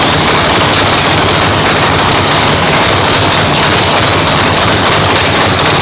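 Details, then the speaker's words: Brand-new 997-cubic-inch nitrous race motor, first fire-up in the car in the new shop; very loud harsh choppy idle with rapid popping and spitting from the open exhaust, steady throughout; normal idle. "first inaugural fire up in the new shop. New shop? Yeah. Fired up. Sounded awesome, guys. I mean, dude, I told you this thing was gonna sound spitty, poppy."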